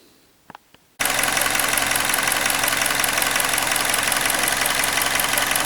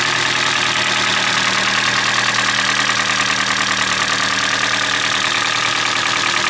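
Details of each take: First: Hyundai Elantra (2012 or 2013), G4NB engine, about 240,000 km, after rebuild for scored cylinders that knocked louder hot than cold, new water pump, thermostat and PCV valve: fires up and settles into an even smooth idle with no knock – normal idle. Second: Hyundai Elantra G4NB engine, about 2012-2013, roughly 240,000 km (uncertain), cold idle: hard, regular metallic rattle over engine note; piston slap from scored cylinders.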